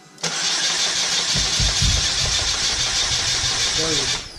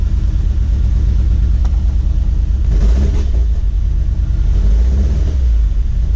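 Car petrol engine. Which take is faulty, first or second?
first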